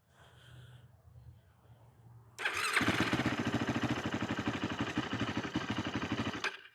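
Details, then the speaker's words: 2008 Yamaha YFZ450, a pieced-together ATV with the idle turned up, choke on and battery freshly charged: it catches after a short crank, then idles with uneven thumps, running rich while the carburetor leaks fuel. "What's going on here? Carburetor is leaking bad. So, carburetors are leaking."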